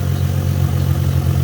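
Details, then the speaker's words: 2005 Ford Mustang V6 4.0 idling down, after catalytic converter and exhaust replacement (muffler was clogged); smooth, even, quiet low rumble with no ticks, knocks or exhaust puffing; possible slight exhaust leak recently tightened; normal idle. "idling down now from get from running i mean you can hear how quiet the engine is"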